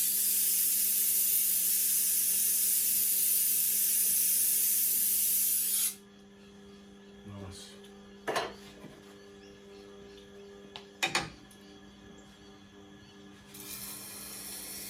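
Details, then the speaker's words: Tormek wet-stone sharpening of a badly damaged cleaver at about 960 grit: a smooth, even hiss of steel on stone without crunch, quieter than before, then it stops; normal fine-grit grinding. "nice you can hear the grinding is quieter less crunchy looking beautiful"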